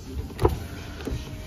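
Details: 2017 Hyundai Solaris 1.6 automatic, 83,000 km, inspected before dismantling: short whirring bursts of the rear power window motor with no grinding or hesitation; the window works normally.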